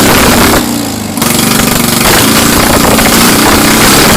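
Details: Citroen 2CV spare engine of unknown history, started after years of storage during an engine swap, with about 180 compression on one side: catches after a brief dip and runs lumpy, stumbling and smoky, like clearing its throat.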